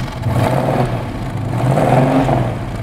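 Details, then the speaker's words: 1968 Shelby Mustang GT500 KR with a 428 Cobra Jet big block, after its loud Flowmaster mufflers were replaced to quiet it. Light revs give a deep, even burble with none of the former loud cracking: a mellow, healthy exhaust note. "does it sound loud to you it's not like before it was a lot it had a big cracking noise before rev it up a little bit"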